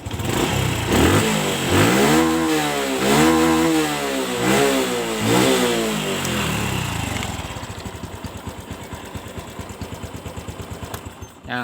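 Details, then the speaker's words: Honda Revo fuel-injected motorcycle, never serviced, after air filter cleaning: four quick throttle blips rise sharply and cut at the same peak before dropping to a lumpy idle; normal rev limiter protecting the engine at full throttle. "kalau tidak diberikan alat seperti itu biasanya nanti akan cepat jebol bila digas mentok makanya itu diberi yang dinamakan limit"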